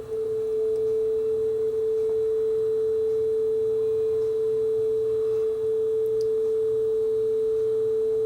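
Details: Aurex (Toshiba) PCG8AD cassette deck after repair (two-wire motor with internal speed control) plays a test tone as a single pure note, rock-steady with no wobble or drift; tape speed correct.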